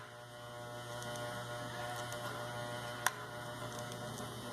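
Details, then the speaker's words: Wahl Keep hair clipper buzzing loudly with a harsh rattly hum; internal parts loose and worn from use; fix is opening it, cleaning, and tightening a small internal part. "e ela tá folgada Então tem um desgaste aqui dentro que vai fazer isso"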